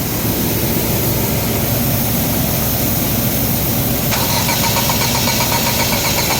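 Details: Ford EcoSport 2014 engine misfiring at idle: uneven, stumbling beat instead of a smooth hum.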